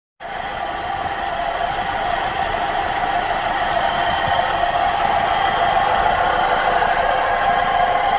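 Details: 2011 Opel Astra engine running: steady mid-pitched hum with a loose, fairly regular tapping around 200 per minute; owner unsure of the cause, unusual engine noise.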